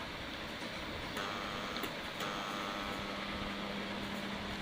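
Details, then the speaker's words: Philips Simply Silent 600W mixer grinder on series test board: steady strained hum, fixed buzz, no run-up; motor stalled because coupler is jammed and won't turn. "Series board में लगाने के बाद में भी grinder से बहुत काफी मात्रा में आवाज आ रहा है और इसका जो कपलर है घूम नहीं रहा है।"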